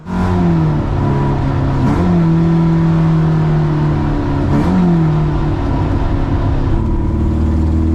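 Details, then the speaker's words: Old Toyota on Nürburgring Nordschleife, petrol engine revving hard under load: raw, rough, chaotic exhaust note; exhaust leak suspected, possibly something loose or snapped, not yet confirmed. "But sounds like I've got an exhaust leak as well, so we'll go back and try and figure that out."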